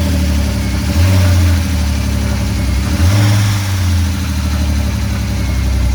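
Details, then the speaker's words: Drift car with a newly swapped engine replacing one with a bad head gasket, first start with no coolant in the system after priming fuel; fires and settles into a steady even idle with two clean throttle blips, no knocks; normal running. "Just gonna start it, make sure it sounds good. No coolant system. Priming fuel system."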